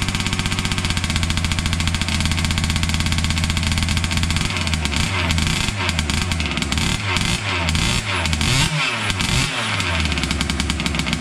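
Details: Losi 5T 2.0 gas two-stroke RC truck on VP fuel after about four to six months stored, primed and choked, started on the workbench up on tires: a sharp, high buzz, steady then blipping up and down cleanly without stumbling; normal running.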